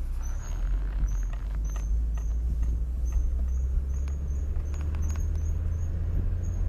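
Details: Driving: high, thin chirp repeating a few times a second with wheel speed over low road rumble, stopping when braking; worn brake pads, fixed by replacing pads.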